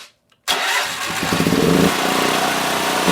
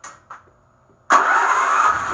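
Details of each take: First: Predator 8750 generator, about 3.5 years old with over 60 hours: engine speed rises and falls about every second, hunting instead of holding steady. A dirty carburetor is the cause, fixed by replacing the carburetor with a tune-up kit. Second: Predator 8750 generator (about 3.5 years, over 60 hours) after its carburetor was replaced with a tune-up kit: a couple of pulls, then it fires straight away and runs steady and even. It no longer hunts as it did before the repair.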